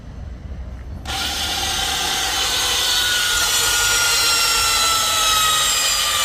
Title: F800GS 2016 COM BARULHO ESTRANHO E NÃO DÁ PARTIDA